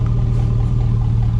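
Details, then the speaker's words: 5.3 Chevy Silverado V8 just started after sitting six months in the woods in snow in Wisconsin: deep, loud, unmuffled rumble at idle because the muffler rusted straight off, leaving it essentially straight pipe. "my mufflers Oh yeah I noticed my muffler and just rusted right off I mean looking that and pretty straight line but it rusted straight off"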